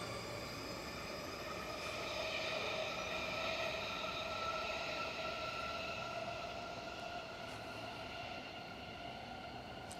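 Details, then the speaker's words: Auckland train accelerating away from Ōrākei station on the Eastern Line toward the causeway, on newly renewed rail, sleepers and ballast: a steady, glassy ringing like a finger on glass, getting louder with speed; this is wheel-rail noise. "that transitions then into the sound of rail noise, which is more of a ringing noise. In this location because everything's new, it's almost like running your finger around the glass, it's very consistent, the noise is getting louder and louder and louder."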